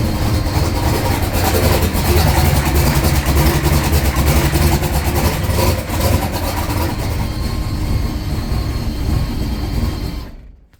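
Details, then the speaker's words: Turbo big-block Chrysler race car, recently first started: fast, regular ticking over a loud rumbling idle that sounded like a rocker, but pushrods and valvetrain checked fine; cause was a small vacuum leak. "So that's what it was. Just a little vacuum leak. It sounded bad. It sounded like a rocker. Vacuum leaked."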